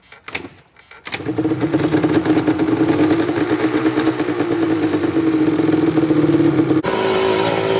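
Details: Banshee two-stroke after a plugged carburetor was cleaned and the fuel tank refitted with no leaks: catches after a brief crank and holds a steady buzzing rev with a crisp ring. Runs cleanly; normal running.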